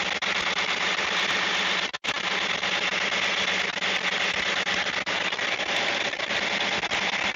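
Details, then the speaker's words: Big Caterpillar diesel in the engine room of MV Gallivant, idling cold, while primary Racor fuel filters are switched over to watch the new vacuum sensor gauge: loud, steady, even roar, unbroken with no knocks or misses; normal healthy idle. "Look at the gauge. It's going to get noisy because it's a big Caterpillar engine."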